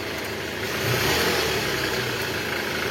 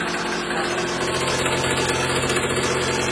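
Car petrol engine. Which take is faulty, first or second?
second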